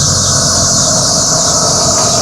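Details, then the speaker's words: 2003 Toyota Land Cruiser Amazon (100 series): AC compressor gives a loud, steady high-pitched scream as soon as the air con is switched on; owner suspects the compressor clutch and plans to test the pulley. "So when I start this bad boy up, all right, when I turn this on, you're going to hear the aircon scream as if it's the end of the world."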